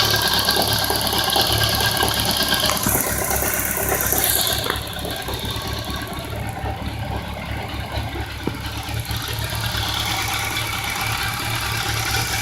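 Rough-sounding idle with an uneven fast ticking and knock around four per second riding over the engine; source unclear.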